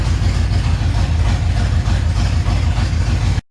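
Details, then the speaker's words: 350 V8 build, running warm near 180°F with jump pack attached: lumpy, uneven idle with deep irregular stumble about three times a second and more black smoke from right bank; misfire suspected in the right bank, cause not confirmed. "It seems to be blowing more black out the right bank, which makes you think the right bank is where the misfire is at, which is what I'm pretty sure I've been hearing. So I'm not sure if it's a plug wire issue, a plug issue, or what."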